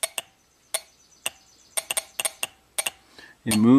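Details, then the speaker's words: 2011 Toyota Camry 2.5, 180k miles, stalling with codes P0015/P0017: exhaust VVT oil control solenoid bench-tested with power and ground gives crisp clicks identical to the intake's (1.3 A at 12.5 V); solenoid judged fine, swapping them changed nothing. "the same amount same type of click so I don't think the problem is going to be here"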